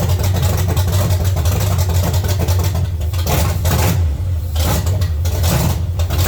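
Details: 1970 Chevy C10, small block 305 V8, after intake and carburetor change: deep, lumpy idle that keeps stumbling and surging unevenly; misfire traced to a broken distributor cap center button.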